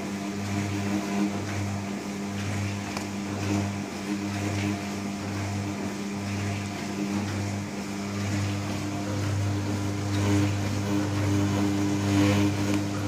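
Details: New Candy Trio 9501/1X running loudly: a steady low hum throbbing about twice a second over faint running noise; loud resonant drone, cause not confirmed.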